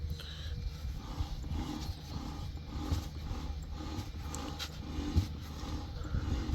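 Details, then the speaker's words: RKS Freccia 150 scooter idling: a rough, rhythmic "tırt tırt" rattle about twice a second, attributed to worn gearbox bearings; the bearings were then replaced. "Bakın şimdi gösteriyorum ses gelir mi bilmem ama böyle tırt tırt diye bir ses var"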